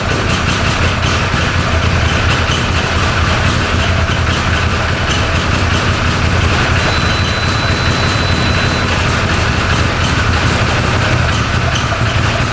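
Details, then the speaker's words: 2013 Arctic Cat Wildcat 1000cc twin UTV after replacing missing intake O-ring that caused an air leak: even, steady low idle, returns cleanly to idle, running on both cylinders; fixed. "that sounds a little better well I'm pretty happy with that sounding really good yep it's running on both cylinders"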